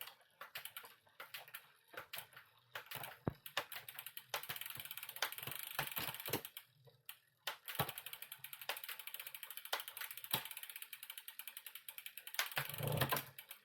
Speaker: I think we've got a cable issue and that's jump two now yeah that's not coming down the cake the cable's snagging and it could be that it's too high